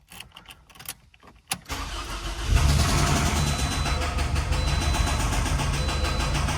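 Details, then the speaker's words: Toyota RAV4 2006–2012, 2.4L 2AZ-FE, low oil pressure: engine cranks and catches, then idles with a heavy rapid metallic rod knock from the bottom end; engine to be pulled and torn down. "you watch my channel, you guys already know that's an engine rod knock out of a 2006 to 2012 uh Toyota Rad 4 with a 2.4 L engine."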